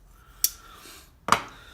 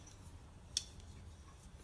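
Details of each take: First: Frame-lock folding knife, lock stick: two sharp, dry snaps as the lock bar binding against the lock face lets go during unlocking; dirt held by oil on the lock face is named as a main cause, and cleaning the face fixes it. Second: Scorpion 6 EOS frame-lock folding knife with a built-in overtravel guard: one crisp, sharp click as the lock bar snaps into place against its travel stop; clean and positive, working as designed.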